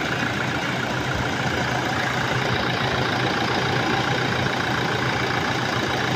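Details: Toyota Hilux diesel, 27,000 km, customer complaint of abnormal noise from engine side; raspy airy rush with faint high whistle, which the mechanic attributes to the turbo; debris found in the air filter had entered the turbo.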